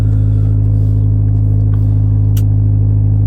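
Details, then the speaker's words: 1989 Honda Civic EF sedan idling after 2–3 days unstarted, fuel dosed with injector cleaner and 2-stroke oil; even puffing beat about four per second, loud open rumble; major exhaust leak from a large hole in the muffler. "Sounds pretty decent so far. It's got a major exhaust leak. There's a hole like this big in the muffler."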